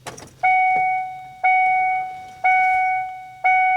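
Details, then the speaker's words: 2003 Ford Explorer with crank-no-start and P0232 fuel pump secondary circuit code, key cycled to on: only the door chime dinging about once a second, no fuel pump prime hum. "Now, unfortunately, we have that annoying dinging noise, but I did not hear the fuel pump come on."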